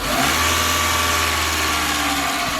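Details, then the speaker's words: Chevrolet Matiz after an engine rebuild (valve stem seals, head gasket, skimmed block): on a throttle blip the revs climb, then hang high for about two seconds after the foot is off before dropping, worse on repeat; cause unknown. "So, you watch my foot. My foot's off it and it still does it, look, it still carries on. It still carries on for just a little bit."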